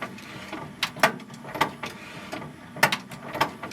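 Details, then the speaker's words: 1997 Sony HCD-XB4 stereo CD player at power-on, dusty and in demo mode: uneven, sparse clicks and clunks from a struggling mechanism. The owner suspects it may need a new belt. "we turn it on power's there cly doesn't seem to happy might need new belt in the CD player"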